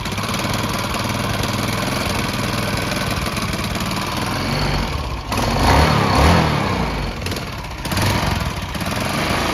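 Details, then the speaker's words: 1978 Yamaha SR500 single-cylinder project bike, frame and engine matching, 4715 miles: fast idle picks up cleanly on two throttle blips with no knocks or rattles; motor sounds good, though it won't tick over, which is why it cut out. "it's not ticking over so that's why it cut out but the motor sounds good on it"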